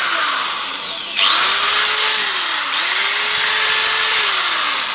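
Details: Electric grinder after repair: high, smooth motor whine spinning up cleanly and holding steady speed with no rattle or sparking crackle; running normally.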